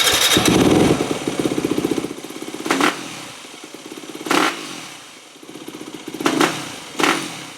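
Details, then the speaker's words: 2008 Yamaha WR250F with rebuilt carburetor, needle clip moved from 6th to leaner 4th position: throttle blips rise sluggishly and flatten before picking up, a hesitant bog that got worse; air leak suspected. "Well, going leaner with the needle clip position made it worse again."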